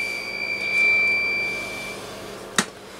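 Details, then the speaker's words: Swan Cygnet 270B tube transceiver under repair, mic keyed with mic gain turned all the way down: a thin, steady squeal around 2 kHz, then a sharp click. The radio is self-oscillating, with full output and no carrier-balance effect; the planned fixes are neutralization, all-new caps and a tube check. "yes something's still oscillating and causing a problem I'll go through the neutralization on it and see if that helps fix anything"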